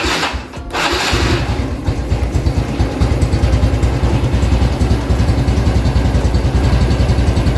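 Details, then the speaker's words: Stock-engine Honda Revo X 2017 FI single-cylinder bike, unstarted for several days: catches after a brief crank and settles into an even, steady, pleasant beat with no knocks or rattles. "Suaranya kayak gimana sih? Suaranya tuh mirip apa ya? Mirip motor zaman sekarang lah, yang merdu gitu."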